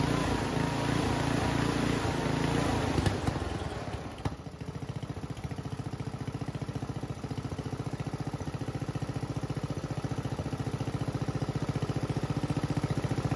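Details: Homemade junkyard go-kart small engine, after a carburetor clean with the air box off. A rough high rev drops to a fast, uneven putter with occasional sharp backfire pops. The owner thinks it is running a little lean.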